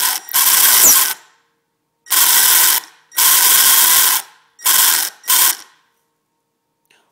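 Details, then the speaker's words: Traxxas Slash RC car, two weeks old, motor smelling funny and its output shaft wobbling: harsh buzzing grind in one-second bursts as the motor spins up, catching rather than turning smoothly. Failing motor, suspected blown bearing; it hissed smoke afterwards. "when you turn it you can feel it not turning around smoothly it just it kind of catches and grinds"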